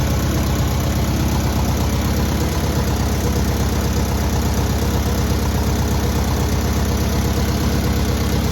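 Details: Newly rebuilt air-cooled VW 1600cc engine at its first start and break-in: busy, even flat-four beat holding steady with a constant rattly chuff, no knocks or misses; normal running.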